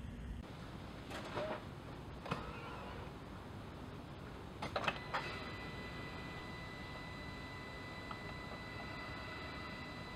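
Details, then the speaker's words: Mercedes-Benz S211 with M272/M273 engine after replacing the oil pickup tube O-ring; a few clicks, the engine catches and holds a smooth, even idle, with no diesel-like rattle a few seconds after cold start. "I don't know if you can tell on the last clip but on cold start there was no more uh rattle a couple seconds into the start so that's a good thing"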